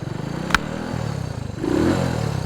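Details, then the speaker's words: Restored 1967 Honda S90, 90cc four-stroke single, owner reports a shifting problem, low on gas: after one kick it catches and settles into a quick, even putter with no knocks or misses; runs clean. "Kick it. And it turns into a Honda. Sounds good."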